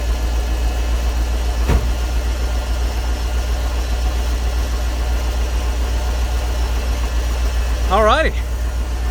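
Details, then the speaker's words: Ford tow truck with EFI 460 V8, first start after swapping the factory 2G for a higher-output 3G alternator: deep steady idle with an even low beat, no knocks or squeals, and the new alternator charging. "we have a working alternator that wasn't that bad"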